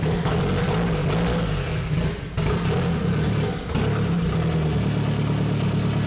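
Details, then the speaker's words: KA24DET-swapped Datsun 510 wagon on MicroSquirt ECU, first start after correcting the cam sensor offset: runs unevenly, revs hunting as it is blipped to stay alive, with timing stuck at 15°, a super-lean mixture and no IAC valve. "uh runs like because it's stuck at 15° timing and it's super lean uh when I was trying to Revit there just keep it alive we're also not running an iak valve"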